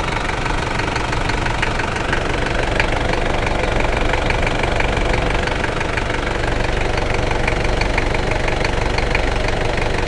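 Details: New 1KZ-T diesel engine at idle: a sharp, fairly regular knock about four times a second rides over the clatter. Engine knocking at idle, cause suspected but not confirmed.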